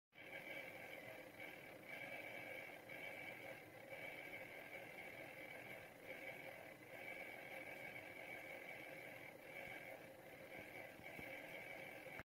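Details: Dell Precision 7530 laptop cooling fans: a quiet high fan whine with a faint buzzing rattle pulsing about once a second. The fans had started rattling loudly and sounded close to locking up.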